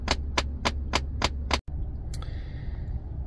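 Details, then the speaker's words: 2010 Ford Expedition Limited (2007–2014 models): sharp evenly spaced clicks about three a second from the dashboard over fan hum when changing temperature; failing main blend door actuator, replaced via radio and glovebox openings. "how you change the ambient temperature there is like a loud banging noise coming from the dashboard okay now you can hear it"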